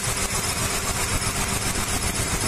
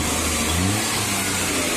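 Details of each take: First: Maruti Suzuki 800, about a 2010 model running on CNG and petrol, with codes P0301–P0304: lumpy idle with a rhythmic stumble. Cylinder one is dead because a spark plug wire touching the air cleaner clamp is shorting, so it runs on two cylinders. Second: Maruti Suzuki 800 (about 2010, CNG/petrol) with misfire codes P0301–P0303 traced to spark plug wires, after rerouting the wire and adjusting the distributor gap: the three-cylinder revs evenly and pulls cleanly, with no stumble.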